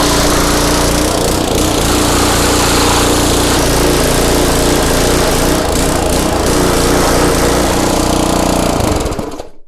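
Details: Craftsman pressure washer, 5.5hp Briggs and Stratton Intek 190, gifted with run issues: single-cylinder engine holds steady even beat at constant speed, no misses or knocks, then shuts down; normal running.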